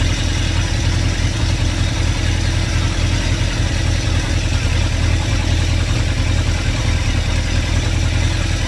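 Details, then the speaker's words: 2110cc VW engine for a 1979 Super Beetle with Empi HPMX 44IDF carburetors and a 123 Bluetooth distributor, fuel pump switched off to run the carbs dry. Deep, loud running with an uneven, lumpy beat, stumbling from fuel starvation. "So shut the fuel pump off, and we will run it out of fuel. Already starting to hear it. I start to see it stumble around a little bit."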